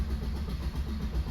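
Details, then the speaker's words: 2017 Maruti Brezza diesel automatic (AMT), about 3781 km, stalled while driving: starter cranks strongly with even compression pulses but never fires; battery good; code P01908 gearbox/engine fault. "Vehicle start ചെയ്യുകയാണ് ആ സമയത്ത് അതൊന്നും start ആവുന്നില്ല കേട്ടോ നല്ലപോലെ crank ആവുന്നുണ്ട് start ആവുന്നില്ല"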